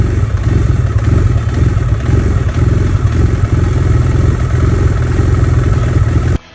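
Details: 2011 BMW F800GS Rotax engine with K&N filter, open exhaust and Power Commander 6 richened map, hot at about 100 degrees: lumpy idle with loose clatter, then abrupt stall; stalls only warm, richer mixture worsened it, throttle position sensor checked fine.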